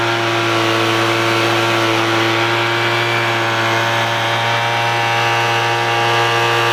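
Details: $10 Craftsman two-stroke leaf blower after the low-speed mixture screw was opened about a quarter turn to cure stalling: holds a steady, even buzz with no stumbling or dying out, running smoothly at a fixed speed.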